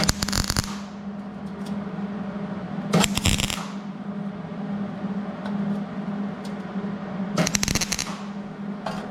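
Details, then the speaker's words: Hobart Handler 140 MIG welder tacking steel: three short bursts with harsh, stuttering crackle and popping. Good penetration but the bead balled up; wire speed is too high, so the wire is turned back, after which it sounded better. "got a lot of penetration in it like the sound of it balled it up a little bit more than if I had to wire up where it was so I'm going to turn the wire back what it'll do"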